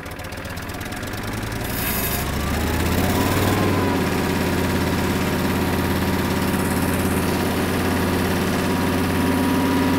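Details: Kubota M5700 tractor, 5-cylinder diesel of almost 60 hp, after replacing the fuel lift pump and fuel filter, clearing a tank obstruction and blowing out lines to cure stalling: steady diesel note climbs and holds an even, clean run under load, no misses.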